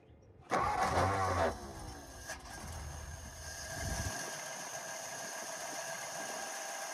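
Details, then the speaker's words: Forgotten 1954 Ford Mainline first start: brief crank, then it catches cleanly and drops into a very quiet, smooth, even idle with no knocks or misses. "it wow that's quiet wow I don't even know if you guys could hear that run or not this thing is quiet as can be nice and quiet"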